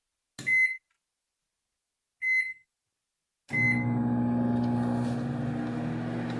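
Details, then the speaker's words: Whirlpool microwave after replacing the high-voltage diode and magnetron, heating a glass of water from 24 to 43 °C. Two beeps, then a steady even hum with no buzzing. Normal operation. "escucharon ya no se se oye el ruido al funcionando"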